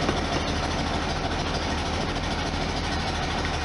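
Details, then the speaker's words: 1973 VW Super Beetle air-cooled engine after valve cover gaskets, an oil and filter change, and an STP additive: oil pressure reaches 60, and it starts without throttle to a lukewarm idle just under 700 rpm, with an even, steady chuff and no knocks. "there it is all the way up to 60 no problem it's kind of a lukewarm Idol just to touch under 700 I didn't have to put my foot on the gas to crank it up which is good sign"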